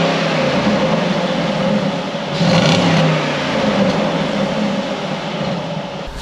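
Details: Flood-damaged Jaguar XK V8 after rebuild, all fluids, radiators, power steering and air con refitted: smooth V8 running with a steady hum and light rise in revs, no knocks or rattles; normal running, sounds healthy.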